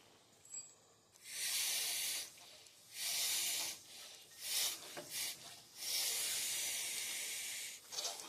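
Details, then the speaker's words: Case backhoe Extendahoe with a leak, hose or cylinder not yet known; dust ring gone: repeated hard hissing bursts about a second each as air bypasses; air hiss from hydraulic cylinder, cause suspected, not confirmed. "Dust ring gone. Hear the air bypassing? Terrible."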